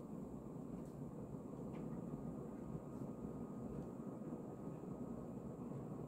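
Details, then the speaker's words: 1990 Casablanca 20th Century Gallery Edition 52" ceiling fan started on high: steady whoosh with a soft, wet rumbling hum underneath, wet bearing noise; slight wobble, flywheel looks slightly bent. "we'll go ahead and turn the fan on start it on high you can hear right away it makes some wet bearing noise"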